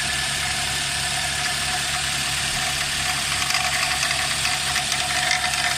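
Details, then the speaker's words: Nissan X-Trail at idle with the suspected squeak coming from an engine pulley: a constant high squeal over a light chattering rattle, steady throughout; the belt tensioner is worn and was replaced. "all right guys uh this Nissan x-trail the engine is squeaking fully I think from the fully engine pulley if something is squeaking so I'm gonna start the engine so I can show you guys and you can hear that noise"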